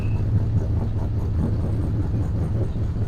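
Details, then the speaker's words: Big Bertha, carburetor not yet adjusted: low, loping idle with an uneven beat about two pulses a second, lumpy and choppy; sounds like it has a cam and is running rich, cause unconfirmed. "keep her going sound like she got a cam in her she's definitely running rich man it's very I can smell it"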